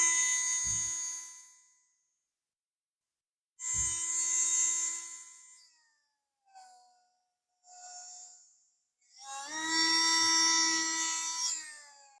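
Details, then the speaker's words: Revell Lion RC brushed motor, autopsied after overheating. The coils have continuity, but the commutator is deformed and the brushes are probably bouncing. Pressing the brushes down makes the high whine shift pitch and the motor accelerate. Unsteady motor speed. "if I push them you might be able to hear the note changing the motor accelerates when I put some pressure on the"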